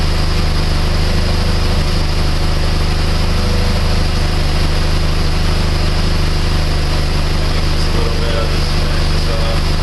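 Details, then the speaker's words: PT Cruiser 2.4 after installing a used cylinder head to fix an idle misfire, warm after 15–20 minutes with fans on: steady, smooth idle hum with no misses or whine. "okay it's been running for a good 15 20 minutes everything's nice and smooth you see everything sounds good there's no winding no missing everything's nice and smooth"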